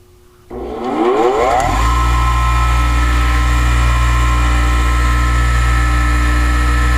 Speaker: look at that it is so nice it's not even walking around on the bench there are no clamps or anything holding it in place